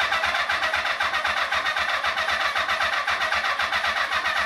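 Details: Motorcycle being revived for a cafe scrambler build, first start attempt in 21 years after carb rebuild and rewiring, with power, fuel and battery in place: starter churns about two turns a second with an even whir, never fires.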